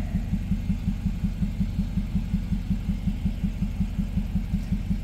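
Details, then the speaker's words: Engine idling with coil pack unplugged on cylinder 4 to simulate a dead-cylinder misfire for OBD II scanner testing; low, lumpy idle with steady uneven chuff about four times a second. "all right so I'm just going to detach this coil pack right here uh just kind of simulate I have a loss on this cylinder and we'll see if the scanner picks it up on cylinder 4 now I do have to start the car and get it running just so it picks up on the misfire so you can hear it"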